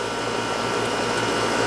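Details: Outdoor AC condenser for the first floor, reported running but not cooling: steady even motor hum with smooth fan whoosh, no rattles or surging; condenser sounds healthy.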